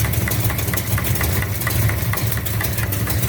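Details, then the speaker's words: 1969 Charger V8 with headers at a lumpy idle: a sharp, light tick about five times a second, felt hitting the valve cover, seemingly around cylinder 3. A backed-off rocker jam nut gave too much play. Valvetrain tick from loose rocker arm. "But I got a rocker alarm or something hitting this valve cover."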